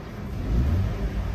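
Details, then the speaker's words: Ford EcoSport petrol engine after spark plug replacement for a cylinder 2 misfire: a brief even rev, deep and steady with no stumbles or cut-outs, check engine light gone, idle no longer shaking. "maganda na yung galit hindi na yung parang may putol na wala na"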